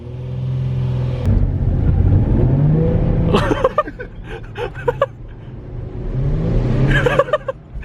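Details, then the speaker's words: Nissan 350Z HR under throttle: engine flares sharply in rev, hangs and drops with uneven bursts as if drive is slipping; owner blames badly worn clutch, another says wheelspin from HR power; cause unconfirmed. "That clutch is so bad. I don't think I would have been able to make it home."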